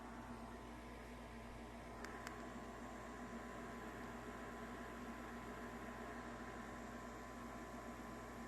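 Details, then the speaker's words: Furnace after blower motor replacement for a screeching noise: the inducer starts with a steady even hum and faint fan whir, no knocking or scraping; normal startup. "okay friends moment of truth let's see what's gonna happen all right that's the inductor coming on"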